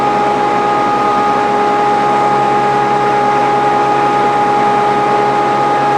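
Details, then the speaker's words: Grizzly G0458 18in open-arm drum sander, reassembled after breaking down: steady unwavering motor hum with clean high blower whine, no knocks or grinding; runs smoothly and healthy. "we try to we got it running already and uh tried a piece of wood on it and it works fine"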